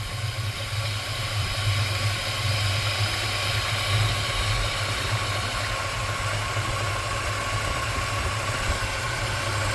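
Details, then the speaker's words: 1979 GMC C15 pickup at idle right after first start, not yet warmed up, about 70 degrees outside, low on gas. Steady, even low rumble with no knocking or clacking on top, no smoke. Normal idle. "Alrighty, it runs. I don't see no smoke. I don't hear no clanging, clacking."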